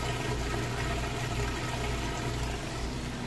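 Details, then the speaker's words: Like-new Maytag top-load washer on normal cycle with heavy jeans and towel load, after rinse, draining in neutral before final spin: steady low hum with water rushing, no grinding or rattle; normal drain pump operation. "all right guys we've moved through the rinse cycle it's coming up on the final spin you can hear it draining that water out"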